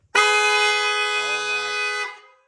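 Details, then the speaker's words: 2009 LMM Duramax (300k miles) after upgrading to new aftermarket horns: one loud, steady two-second blast, bright and clear with no rasp or warble, judged at least twice as loud as before; horn working properly. "it's literally twice as loud I would say at least at least twice as loud if not more"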